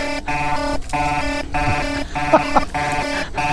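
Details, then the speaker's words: Gotway MSP 18-inch electric unicycle on a steep mountain overheat-hill climb: loud buzzing alarm pulsing about every 0.6 seconds, the over-temperature warning sounding. "that's my temperature alarm on and we log"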